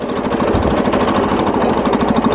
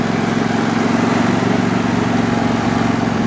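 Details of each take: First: John Deere riding mower while riding: fast rough uneven chattery rattling pulse over the running engine, owner suspects ignition points drifting out of adjustment upsetting timing; ignition points out of adjustment. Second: John Deere mower after replacing slipping, cracked drive belt; small engine runs with steady even beat, no knocks or slipping squeal before shutting off; normal running.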